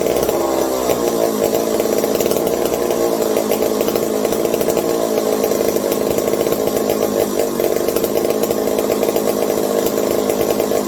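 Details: McCulloch 740 chainsaw after coil gap fix and swapped spark plug: high steady two-stroke buzz holding pitch without sputtering; runs well. Owner hopes no air leaks; loose carb linkage wants to hold about quarter throttle and may run lean.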